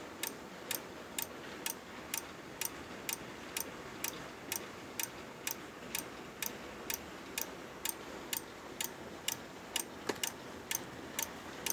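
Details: Loud Corsair power supply clicking: sharp, dry, very even clicks about once a second over a faint hiss, repeating from the PSU; cause unclear.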